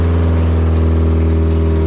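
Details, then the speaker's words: NB Miata first start after fuel pump replacement: loud raw unmuffled drone racing at about 2,500 rpm high idle, no exhaust fitted, no coolant in engine; idle needs adjusting. "It's alive and idling at 2,500. Should probably adjust that. Also, there's no fucking exhaust on it."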